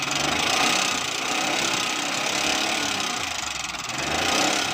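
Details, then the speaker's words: Car engine idling, checked with a listening scope: irregular light knock about four a second; source not yet located, cause unknown. "दोस्तों, गाड़ी के engine से आवाज़ आ रही है तो हम इसको चेक करने लगे हैं।"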